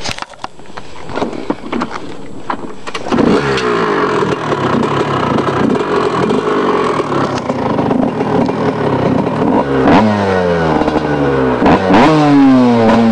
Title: 2000 kx125 start up after rebuild